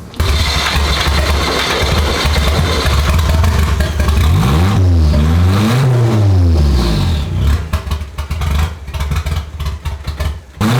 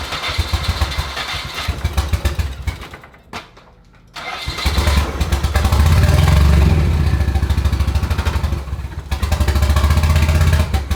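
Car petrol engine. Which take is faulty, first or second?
second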